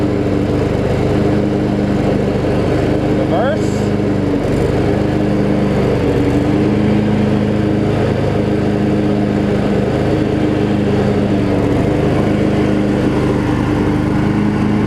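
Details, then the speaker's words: Craftsman riding mower with Briggs & Stratton V-twin running with blades engaged after blade-engage repair: steady engine drone and even deck hum, no grinding from the spindles; healthy. "you can hear the there's no like terrible noise coming from the spindles or anything like that"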